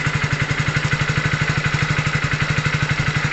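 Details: Hero Splendor BS6 single-cylinder bike during wiring work, battery connection cut so running without battery power: even, quick putt-putt of about four pulses a second with no misses; normal idle.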